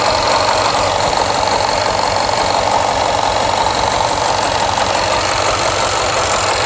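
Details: Jaguar XFR AJ133 5.0 V8 misfiring on the rear bank, cylinders 5-8. Codes P0300, P0306 (always first), P1315, P228F fuel pressure regulator too high, P00C6. Idle with uneven stumbling beat about three hits a second under a loud hiss. Engine misfire.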